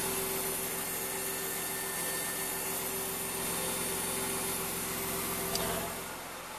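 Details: BMW E34 at 250k miles, recorded in the cabin: thin steady whir at one constant pitch over cabin hum; owner suspects a dying fuel pump, louder under the car.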